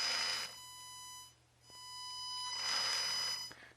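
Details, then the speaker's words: HG P407 Tamiya Bruiser clone RC pickup, Hobbywing 1080 ESC set to 1K drive frequency: thin steady high whistle near 1 kHz from motor when driven; PWM motor whine from low switching frequency. "Turn it back on. And you hear that? If you don't like that whine of the motor,"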